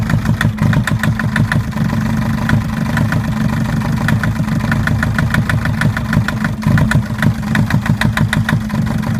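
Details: Mercedes Sprinter 904 with the four-cylinder OM611 diesel: sharp, evenly spaced metallic knocks, about five a second, over a steady idle, from a knocking injector.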